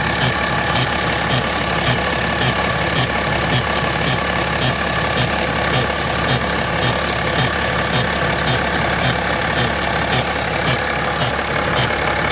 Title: 2010 E70 X5 - Strange Engine Noise